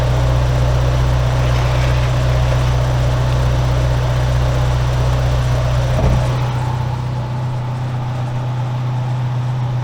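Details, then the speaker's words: Toyota AE86 4A-GE, warm engine idling after the raccoon-damaged radiator was replaced with a new one, cooling fan on: low even idle hum holding steady, fan rush on top, no knocks, misses or surging; normal warm idle. "So I'm gonna put that on. We'll kick on the fan, so you should be able to hear them, and then we'll put the car down and check it out."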